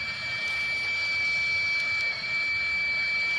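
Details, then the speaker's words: Vehicle at 40,000 miles, no-start after dealer oil cooler job; air test with microphone by crankcase vent: steady strong rhythmless hiss of air rushing out, engine not running, textbook failed STC fitting leaking. "putting the microphone of the camera down by it so maybe you can hear me the air but the amount of air blowing out is kind of freaking crazy"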